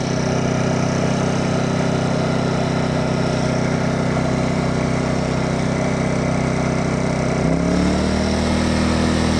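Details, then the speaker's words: Champion 2500 W dual-fuel inverter generator, brand new, first start, eco mode switched off then on: steady, even drone settling smoothly as speed shifts, no knocks or misses; sounds pretty good, normal idle. "There's eco mode off. There's eco mode on. Sounds pretty good. Start right up."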